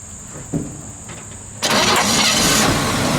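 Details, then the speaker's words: 1958 Chevrolet Biscayne survivor, 235 CI inline six, automatic, under 40,000 original miles, start-up; brief crank, catches at once and runs smooth and even with no stumble or miss; normal cold start. "Look how smooth it starts. That 6 was a good engine."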